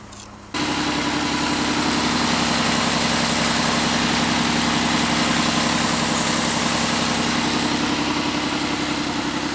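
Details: Pontiac Aztek cold start at nineteen degrees after sitting about four days, with fresh oil, fires quickly and settles into a fast, even tick over a raspy idle; a leaking exhaust manifold is suspected, not confirmed.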